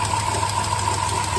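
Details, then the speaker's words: Dodge Caravan V6 reported to misfire and leak coolant, smoking oil when revved cold: steady idle with quick, even valve-train ticking. It seems to come from the front, but a screwdriver stethoscope places it mostly at the back; cause unconfirmed. "You can hear there's something going on with this valve train. Definitely."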